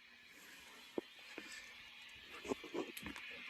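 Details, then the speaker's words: 1996 Peavey 5150 2x12 combo guitar amp, tubes glowing, powered on: steady hiss with scattered irregular pops and crackles; static and crackling noise, source not yet found; amp also fluctuates in volume and makes wave sounds on standby switching. "Yeah, you hear that? Real staticky. Hear some popping, whatnot."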